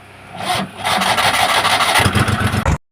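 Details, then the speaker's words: Old Maruti Omni MPFI without immobilizer, check light on: starter whirs, engine catches for under a second with a rough burst, then dies abruptly; sometimes won't start at all. "और देखें start हुआ गाड़ी हमारा बंद हो गया यही होता है कि गाड़ी स्टार्ट होता है थोड़ा"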